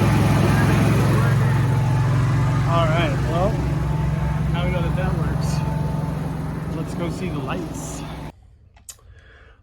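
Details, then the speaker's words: RV generator started with a push-button test during an RV battery replacement: it catches and settles into a steady, even low hum with no knocks or surging. Normal generator running. "I'm going to give her the knock to start it we have the generator working"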